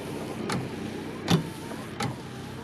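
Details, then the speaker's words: 1994 Dodge Dakota with a new aftermarket wiper motor, reinstalled and running on high speed: even swish-and-thump about every three-quarters of a second over a soft motor hum. Speed similar to the stock motor; normal operation. "Looks like they travel about the same speed as the old motor too. And here's normal speed. And here's high speed."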